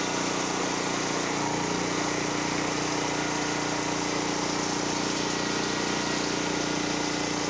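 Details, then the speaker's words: Generac GP5500 generator, revived after sitting 2 years and a carburetor problem, loaded with a 1,500 W heater and a 1,270 W heat gun: a steady drone with a constant hum, loading slightly, with no surging or hunting; it runs properly. "So I did have a 1,500 watt heater on there and a 1,270 watt heat gun. And you could hear it loaded a little bit."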